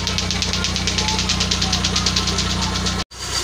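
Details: Kia Timor engine hot after about 30 minutes of running, idling after a starter repair where the fault was the switch: steady even beat with no knocks, misses or starter noise; now restarts when hot; normal idle.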